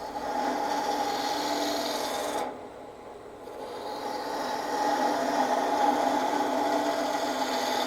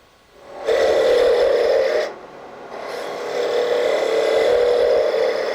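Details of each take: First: Turning a Christmas ornament bulb on the lathe after truing a piece that bounced out-of-round since remounting: even, steady gouge rasp with no rhythmic knock or bounce, cut riding the bevel cleanly. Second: Woodturning a Christmas ornament tip on a lathe sped up, with the thin spindle left thick for support: raspy cutting hiss with a fast uneven buzz, tool chatter. Steadied with light hand pressure behind the work toward the tool.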